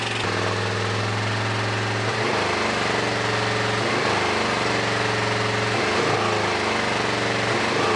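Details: A Suzuki S50 Boulevard 800 V-twin, believed to be a 2006, that sat for years gives a loud, lumpy, choppy beat. It runs only on the rear carb and runs on both with brake clean sprayed into the front carb. The front is fuel-starved and the rear overflows, so both carbs must come off.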